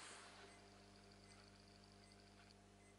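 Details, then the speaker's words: Philips 21GX8568/59R CRT TV, ANUBIS S chassis, not switching on and with no standby LED: a faint high-pitched pip-pip-pip chirp from inside the set, not from the speakers. Power supply squeal; shorted line output transistor suspected. "Это не в динамиках. Это где-то изнутри такие писки идут."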